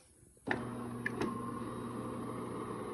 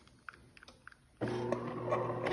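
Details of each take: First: DeLonghi fully automatic coffee machine grinding after oiling the lift rail: steady, even grinding hum with no squeak, creak or knock; the earlier odd noise is gone. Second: DeLonghi fully automatic coffee machine, brew unit moving: light clicks then steady hum with a dry, scratchy creak as it travels; cause is the brew unit lift rail, fixed by wiping oil onto it.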